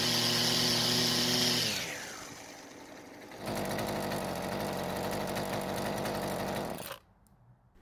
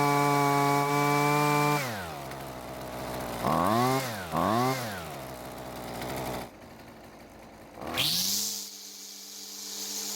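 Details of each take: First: Husqvarna string trimmer at full throttle: screams high then sags and picks back up at lower uneven pitch, unable to hold constant speed; most likely cause suspected is faulty carburetor fuel-metering diaphragm. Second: Husqvarna string trimmer two-stroke, after recoil repair and carburetor adjustment for too-high engine speed: crisp steady high revs, two clean throttle blips, then a settled even idle; running healthy.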